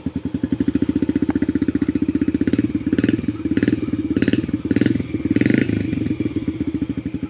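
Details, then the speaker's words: 2019 Yamaha TTR50, tank filled to the top: even, steady single-cylinder putt at idle with no misses or stumbles; runs very well. "like I said this is a wicked good running bike"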